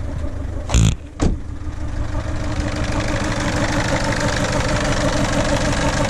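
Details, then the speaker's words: 2007 Ford Fiesta 1.4 TDCi diesel, sat about a year, on a jump pack, goes into limp mode; after a couple of bangs settles into a lumpy, uneven clatter shaking the car, at least one cylinder not firing, suspected injector fault, possibly cylinder 2. "don't know if you can hear it but it's the whole car's kind of shaking and yeah it's running really really really quite rough"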